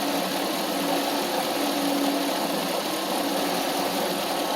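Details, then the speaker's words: 1993 Mercedes 500E barn find V8 after throttle and lower harness repair: smooth low idle around 600 rpm, earlier whistle/whine gone (owner suspects shorted alternator or cluster wire caused it); normal idle. "You see the RPMs are low, but that's how they are these things. This is our RPMs and that's what is that like 600 and so"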